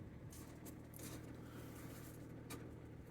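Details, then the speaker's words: Engine checked at a part-exchange yard starts up and settles to a quiet, even idle hum with soft steady beat, no knocks or rattles; sounds happy, normal idle. "Starts up nice. Settles down to a nice idle. Sounds happy enough."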